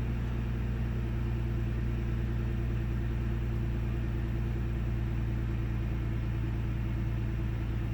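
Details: 1998 Ford Taurus SE V6 OHV idling with the hood open, after earlier 400–1000 rpm swings with no warning lights: low idle rumble with an uneven, loping beat, sputters, misses and mild rpm fluctuation; rough idle, cause unknown.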